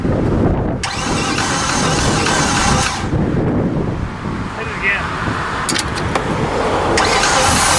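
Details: 2015 Infiniti QX80 from a Copart auction, suspected weak battery, cranking: slow starter drag with an uneven chug and a skip, meaning one cylinder isn't compressing (low compression).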